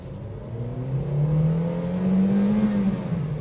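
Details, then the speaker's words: Flood-damaged ex-taxi car driving on an empty road, half fuel, trying acceleration: engine note climbs smoothly and strongly, no misses or flat spots; power still fresh, normal acceleration. "Masih oke sih, mesinnya tuh tenaganya masih segar."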